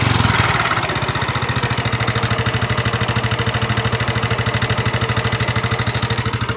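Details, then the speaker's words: 2019 Yamaha NMAX scooter engine idling, recently repaired with new piston (seher) and cylinder block per owner: steady tapping about three beats a second, rough mechanical tick from the engine; cause suspected, not confirmed. "motor nmax keluhan motor motor suaranya kasar pada bagian mesin utamanya"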